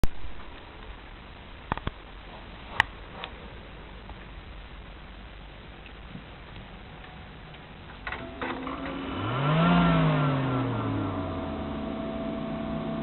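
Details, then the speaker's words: Mid-2003 1.6GHz Power Mac G5 that no longer boots: faint clicks, then fans whir up and ease back with no startup chime, no video and no keyboard response. PRAM/NVRAM reset, PMU button and a new battery did not help; past video issues. "okay so there if you heard that there was just some brief startup noises I don't know what part of the of the G5 they've come from exactly but as you can hear um you know it switched on to some degree"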